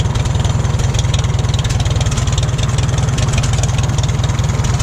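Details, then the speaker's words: 1941 Farmall H tractor, engine possibly not rebuilt: low, even thumping idle at about four beats a second, no misses or knocks; steady healthy idle with a little smoke. "Yeah, it's a good running tractor. It's got a little bit of smoke, but I'm not sure if this engine has been rebuilt or not."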